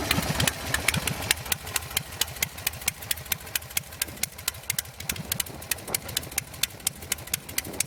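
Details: Custom Buell Lightning bobber V-twin, custom air cleaner, stock carb, idling after start-up: low, slow, even thumping idle with steady firing pulses and no knocks or misses; idles real nice and low, runs good. Normal idle.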